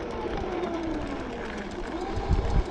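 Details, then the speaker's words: SUPER73 R fat-tire electric bike with original V1 motor, already noisy, replacement on order, on a dirt trail: smooth motor whine sliding down in pitch as it spins freely without engaging the wheel, third time so far. "the motor just spins but it doesn't engage the bike that's happened three times so far"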